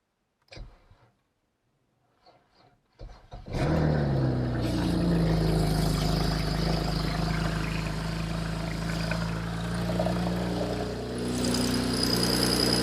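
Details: Modded, tuned BMW E90 335i N54, low kilometres, previous owner couldn't get it running, damaged oil cooler; owner checking for rod knock; after a few clicks it catches into a steady even idle, no knock or tapping.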